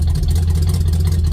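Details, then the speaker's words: 1967 Chevelle, engine given new rings 5 years ago, no choke so kept running: deep, heavy idle with a lumpy, uneven exhaust chuff; owner suspects a burnt valve, unconfirmed. "being around metros all my life, you kind of get used to what a burnt valve sounds like, and that's kind of what it sounds like."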